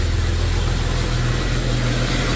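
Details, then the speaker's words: Jeep Comanche at warm idle, 14 volts and high oil pressure, the idle drifting up then sagging within seconds; idle hunting, owner told it may be a grounding issue or the TPS. "I want to see if it does that weird like idle thing. Oh, here it goes. Yeah. Hear that?"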